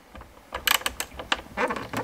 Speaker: whereas if we watch this one if we try to bring this one where you at this one out you can watch and it will actually move well that's moving